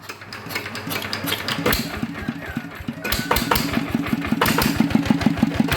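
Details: Engine brought in for turning heavy when hot, after reassembly and inspection of cam, bearings and clips; catches after a couple of seconds, then quick fairly even firing rising slightly: normal running.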